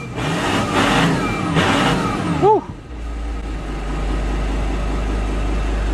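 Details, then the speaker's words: Abandoned VW Touareg V10 TDI just restarted with many dash warning lights: engine revs up, then thin whistle sweeps up and down as revs fall before settling to idle; whistle when revving, source unknown. "just had a battery light on that's just gone off makes a weird whistling noise on a rabbit"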